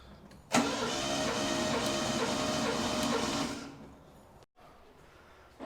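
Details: Ford Capri 2.8 V6 compression test cranking on jump pack, cylinder 6: steady starter cranking about four beats a second with even pulses; results 106 psi cylinder 1 (slightly low), others 114-122 psi.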